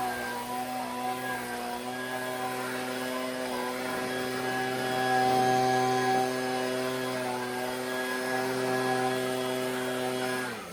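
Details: Husqvarna 125B leaf blower after repair and high-speed carburettor adjustment, no air filter yet, blowing leaves. Steady, clean high-revving drone swells slightly as it's worked, with no misses or surging; healthy.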